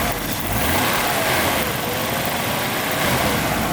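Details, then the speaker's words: Daimler XJ40 AJ6 engine, hot, at idle in the engine bay after service and a new gasket: smooth, even idle with only a faint light injector tick over a steady hum, no ticking from the engine; healthy. "that is incredibly smooth. Very nice smooth engine is the AJ6."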